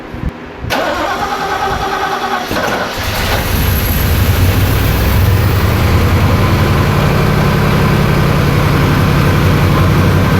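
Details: 1966 Oldsmobile Cutlass 330 ci 4bbl, after new fuel pump, rebuilt Quadrajet carburetor, tank and sending unit, primed fuel lines: a couple of seconds of cranking, then it catches with a burst and settles into a steady, even idle.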